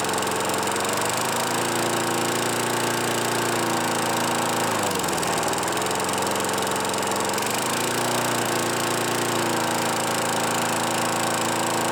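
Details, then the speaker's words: Craftsman Eager 1 mower 917.383241, final run after tightening hardware and new filter assembly; smooth even running, brief dip mid-run, recovers to same steady speed. Normal running. "this thing runs really good I don't know why they threw it away other than it being having oil all over it I cannot really find anything wrong with it it runs fine"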